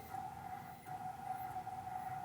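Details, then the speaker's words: NEMA23 180 W 3000 rpm easy servo from a lathe electronic leadscrew, stiffness raised from the default 11 to 13: a steady, loud, high-pitched hum with slight background chatter; stiffer tuning nearing resonance. "there's a little bit of background chatter and you can kind of hear it there that's definitely a little bit stiffer not quite as stiff as i would like but it's better"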